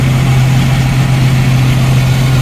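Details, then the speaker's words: 1990 Jeep YJ, 4.2L, 5-speed, carbureted, warming up, idling at about 900 to 1,000 rpm. It gives a steady, even low rumble with no misses or stumbles, a smooth normal idle. "it is running nice and smooth um no miss or anything like I've been"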